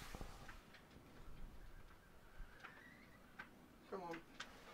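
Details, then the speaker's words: Gas detector placed low in bilge of a 1980 Maxi 84 28ft yacht, laid up two years, during pre-purchase survey; slow, even ticks about two per second, rate not speeding up, so probably no gas aboard; normal. "so that's not bleeping uh ridiculous it hasn't speeded up so i'm pretty happy that there's probably no gas in the boat so we'll carry on doing our survey now"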